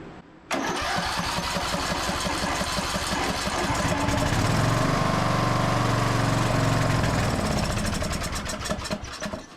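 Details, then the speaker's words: Briggs and Stratton engine on a Craftsman DLT3000 riding mower, started with starting spray and choke: fires immediately and settles into an even chug with no knocking or ticking; normal start and idle. "sounded good too I didn't hear any uh noises so far knocking or anything like that"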